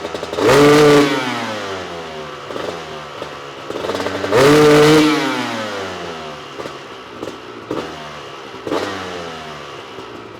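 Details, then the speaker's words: Honda CR250 two-stroke supermoto with Mikuni carb, warmed up, after fitting a smaller 400 main jet: revs blipped half to full throttle, climbing cleanly; runs much better on top but still not crisp, further jetting planned. "all right well I don't know what you guys think but it sounded like it was running a lot better on the top from half to two full throttle and it's still not super crispy like I think it should be"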